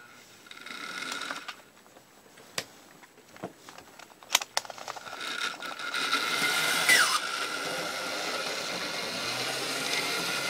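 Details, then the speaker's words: 1970s Bachmann Super 8-wheel-drive F9 model locomotive before restoration: a few clicks, then a thin, raspy high buzzing whir, running rough and noisy and badly needing cleaning. "and yes considering the fact that she runs like a bag of nails crossed with a dying cat basically it sounds like this locomotive needs desperate help"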